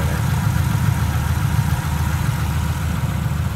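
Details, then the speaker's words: 1950 Ford Tudor flathead on a 6-volt system, idle turned down from high idle: deep, even rumble with no misses or knocks; smooth, healthy idle. "purrs. What a smooth running flathead."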